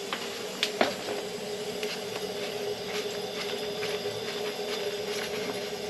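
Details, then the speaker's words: Hot water boiler refilling after rusted leaking pipe nipple, pump flange and circulator pump replacement: steady hiss of water rushing in with air coming out, faint tone and ticks; refilling normally before firing up. "You hear the air coming out? Hear the... Alright. Oh. It's adding, it's filling."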